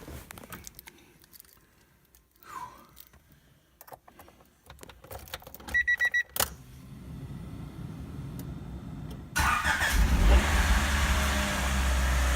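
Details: 1989 Acura Integra LS with a D16 high-compression engine on a turbo build, first crank after a new timing belt (transferred by tooth count) and radiator: key clicks, then it catches promptly and settles into a steady, even run with no knocking; a clean start.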